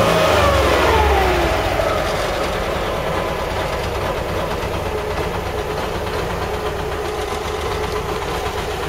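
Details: LuAZ after repair: a brief rev falls back to a steady, even run with no knocks or misses; the engine sounds healthy.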